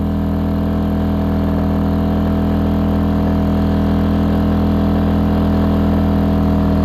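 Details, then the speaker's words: AIVOLT inverter generator rated 1600 peak/1260 running watts, with a space heater on high drawing over 1400 watts: a loud, heavy engine drone dragged down under the load, about 83–84 dB, before it cuts out from overload. "Now, if you're wondering why did the generator just cut out there at the end and the reason being is cuz I turned that heater on high and that thing is over,400 watts where this uh generator is only supposed to be able to get it to,260 running watts."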